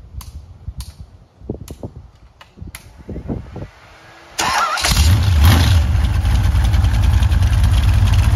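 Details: Freshly rebuilt 355 Chevy small-block V8 with Summit 1105 cam, ProMaxx heads, Weiand intake, forged pistons and slip-on mufflers that leak a little: a few clicks and cranking, then it settles into a deep, even, lopey idle with no knocks or misses.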